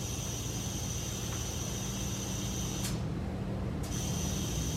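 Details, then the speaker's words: Audi B5 S4 twin-turbo, re-pressurised after clamping the passenger-side turbo inlet: steady high hiss that drops out briefly when covered by hand; charge pipe cracked at its mount weld. "this charge pipe right here where mounts is cracked see if I can get it to zoom in right here so not the biggest crack but definitely leaking from there"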